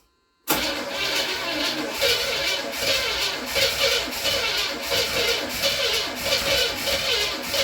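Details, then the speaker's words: 1979 Pontiac Trans Am barn find, stored since 1995, starting with 50 psi oil pressure: rough uneven run with a lopsided exhaust beat; one cylinder dead, not firing. "I can still tell that there's a dead hole in this engine somewhere"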